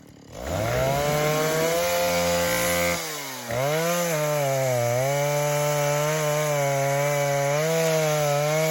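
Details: 1960s Stihl 08S two-stroke chainsaw, about 60 cc, choke start, slightly sticky trigger, cutting firewood: fires up and revs cleanly, pitch rising and settling evenly under cut, no misfire or bogging; normal running under load.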